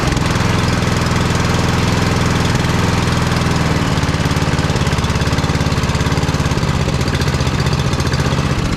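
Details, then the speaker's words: Vintage Simplicity Cavalier 3110 riding mower, 11–12 hp Briggs & Stratton single-cylinder, after throttle/choke adjustment and idle stop reset; running on jumper pack, chugs unevenly at low speed, stumbling as if to stall: rough idle. "so we'll fire it up and see what happens now I turned my jumper pack on it's still going doesn't really want to idle but"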